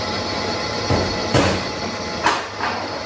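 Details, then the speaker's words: Toyota Corolla E150 1.6 VVT-i front brake caliper rocked by hand gives four dull, loose clunks. The knock appeared under hard braking, caused by worn caliper guide pins letting the caliper shift. Fixed with newly machined caliper bushings. "Значить, при різкому торможені у нас з'явився якийсь стук. Тобто як супорт ходить, як наче гуляє сам супорт."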